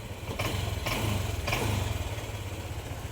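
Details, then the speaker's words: Honda Click 125i, rough idle: low, uneven chugging that sags and surges about every half second, with poor throttle response; stalls when idling down, check engine light comes and goes, error code 08, cause unconfirmed. "honda click 125 ang issue mumapalya namumug nababakantihan yung yan hindi agad nagre-response namumugak"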